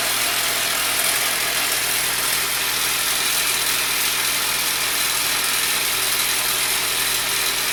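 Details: 2003 Pontiac Sunfire 2.2 Ecotec L61 at idle, after valve cover off and loose plastic timing pieces removed: busy rattly idle with fast metallic clatter; timing chain slap from damaged timing components, little improvement.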